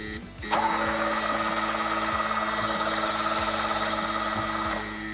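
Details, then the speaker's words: Ferrari 308 GTSi cranked with ether; starter cranks at three to four even beats a second but never fires, no spark: crank no start from faulty ignition coils. "nothing no fire no spark sounds like he's [Music] trying"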